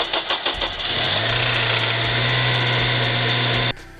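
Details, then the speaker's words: 2008 Honda Civic Si (8th gen, FA5) cold start: few quick cranking beats then steady idle with light metallic chatter; timing chain slapping, owner guesses a failing VTC actuator loosening the chain, can cause engine damage over time. "When you start up the car, you hear the chain slapping, and you hear this chain slapping. So the issue, or to resolve this issue, is actually the VTC actuator goes bad and starts, I'm guessing, loosening the chain."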